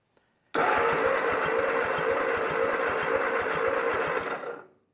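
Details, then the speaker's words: Ford 8N tractor being cranked by the starter during a compression test after getting spark; a steady, fast beat of about three and a half turns a second with no labouring; cylinder one reads zero compression, and the owner suspects the piston rings. "am none zero oh gosh how can you not have any compression how's that even possible just like"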